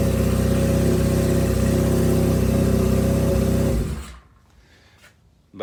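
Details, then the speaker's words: Honda CB550 cafe racer after carburetor work, on pod air filters: loose, uneven idle pulsing about four times a second before the engine dies, and rough idle-to-midrange transitions. Owner blames the pod filters, which make it run well only at wide open throttle. "going from idle to mid-range, it's not the best."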